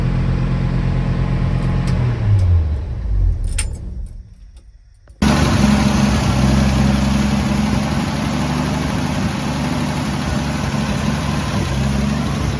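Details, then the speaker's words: Jeep J10 4.2L engine first start after oil pan removal and rear main seal replacement; stumbles and dies, restarts, lumpy idle needing adjustment with a sharp puffing tick, slow oil pressure rise; exhaust leak. "Things thing's running. Definitely got an exhaust leak now."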